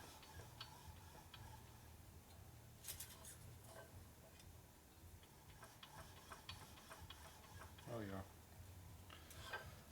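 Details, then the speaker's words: 1941 Harley-Davidson WLD 45 flathead built as a 56ci stroker, turned slowly by hand with a 0.007 in feeler gauge in place: a faint light click once per turn as parts just touch. Clearance measured at about 0.006 in. "Throw the 7 in there, it should definitely pop up the oh yeah. Hear it? Click, click, click, click, click."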